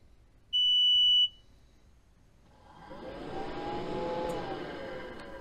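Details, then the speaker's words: Diesel heater in an Iveco Iris bus camper, on the original fuel pump: a single sharp beep, then the fan whooshes up as the controller announces fan failure; owner suspects insufficient power, tried about 13–13.2 volts. "right so that was saying fan failure that's weird"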